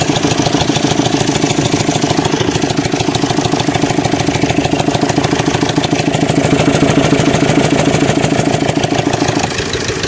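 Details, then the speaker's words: Suzuki Swift Dzire DDiS diesel, 21,271 km, idling with a fast metallic rattle, heard loud at the open air filter; timing chain auto-tensioner fully extended leaving slack chain; metal debris from rocker found in oil. "देखिए अब चैन इसके बीच में gap देखिए कितना है। इसीलिए तो sound आ रहा था ना भाई।"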